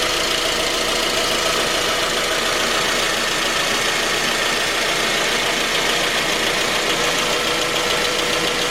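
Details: 2010 J20A engine at cold idle: a steady, uneven, deep-seated knock under the engine hum. It appeared at 10,000 km, dealer checks of valves, compression and oil pressure were fine, and it worsened after oil changes. Cause was a scored crankshaft journal on cylinder 3.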